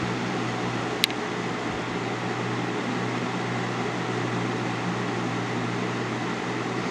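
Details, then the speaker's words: 2000-01 GE box fan model 106620 with chipped blades, on medium: a steady low motor hum and an even rush of air with no rubbing or rattling. It runs normally at a proper medium speed. "Medium. This is how medium should sound, in my opinion."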